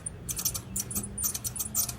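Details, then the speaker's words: 1988-95 Chevy Silverado/GMC Sierra 5.0/5.7 V8 during a belt and tensioner change. A pulley spun by hand gives an irregular, dry, gritty clicking that is rough and uneven. Owner suspects the front and rear bearings are worn. "that's horrible probably needs a front bearing and a rear bearing rear bearing is really easy it's right there"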